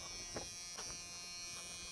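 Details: 1986 Chevy K10 short bed pickup that sat for years, battery just connected, checking the cab with no parasitic draw found; thin, steady high buzz at constant pitch, dash warning buzzer working.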